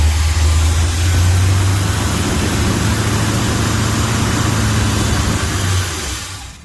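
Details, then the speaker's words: 1971 Chevy Monte Carlo that had not run in about 30 years, briefly run on gas with two-stroke oil squirted into the float bowls. Deep even V8 rumble for several seconds, then it dies as the fuel runs out; runs pretty good, has oil pressure. "runs pretty good that's just a little bit of gas that I had squirted into the uh the float bowls so that it would try and run for a little while"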